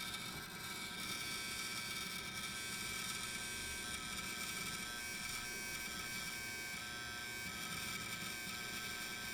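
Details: New Dell XPS 8920 desktop: hard drive randomly gets very noisy for a short time, a steady harsh buzzing hiss with thin high whine, then stops; cause unknown.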